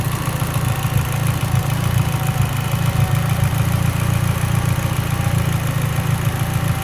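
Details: Mitsubishi Evo X, lean idle: low, lumpy idle rumble with irregular stumble instead of smooth hum; idle misfire, cause suspected lean, not confirmed.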